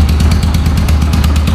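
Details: Yamaha YBR 125 ESD after full engine restoration: steady, even low thump at idle with a regular firing pulse and no knocks or rattles; normal healthy idle.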